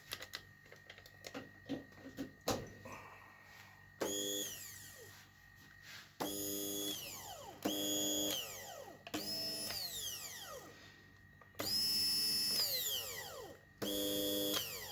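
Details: Arzum Soprano Max blender after repair of broken motor button, glued with super glue, tested before closing the cover: short bursts of high steady motor whine, clean start and wind-down; runs normally.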